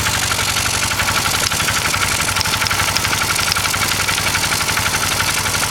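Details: Engine running with blow-by and a busy, uneven pulsing patter near four beats per second over a hissy background. The abnormal engine noise was recorded again with another camera; its source is unknown.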